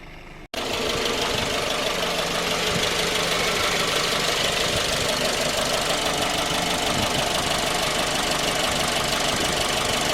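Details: 2010 J20A engine at cold idle: a rapid knock about three per second. It appeared at 10,000 km, and dealer checks of the valves, compression and oil pressure were fine. It worsened after oil changes. Cause was a scored crankshaft journal on cylinder 3.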